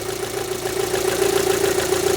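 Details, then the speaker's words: Rover 75 petrol engine idling right after its first start on new spark plugs replacing the factory originals; a steady, even idle with a light regular beat, no misfires or stumbles heard, judged to be running better. "Now I'm listening for misfires. I can't hear any misfires."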